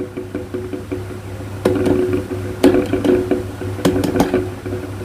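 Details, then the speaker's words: Fairly new Sharp electric fan, running on speed 1, with a customer complaint of noise: a low motor hum with sharp, uneven knocks about every second, as if something strikes inside. "เนี่ยมันเสียงดังงี้เหมือนอะไรคอนอยู่ข้างในนะครับ"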